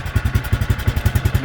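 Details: 2003 Bombardier Traxter 500 Max single-cylinder ATV, cold start with choke on about 15 seconds, parking brake locked: steady, even low thump with no misses or knocks, no smoke or leaks; healthy idle.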